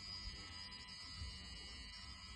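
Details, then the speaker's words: Brand-new Honeywell three-way motorized heating valve, failed within 24 hours: constant thin high buzz with faint steady tones over a low hum; faulty valve actuator, replacement valve worked fine. "so long so that was the video that i got from my mate about this valve as you could hear it was buzzing away"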